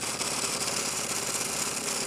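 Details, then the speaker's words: 2006 Aprilia SR 50 R two-stroke scooter at idle with the engine started, a wider stage-six belt recently fitted. A harsh, gritty rasp comes from the CVT/clutch side. The kickstart gear was misplaced and grinding; repositioning it cured the noise. "yeah that's a problem oh sounds like a problem sounds like a major problem really and it's all coming from that place where the bullet is or the clutch is all those systems are all those mechanics and gears"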